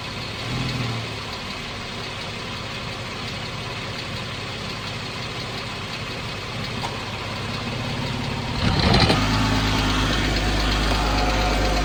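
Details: 2014 Jeep Wrangler 3.6 Pentastar with steady light ticking of about four per second over a smooth idle, then a rev; owner asks whether rocker arm or valve tick, cause unknown.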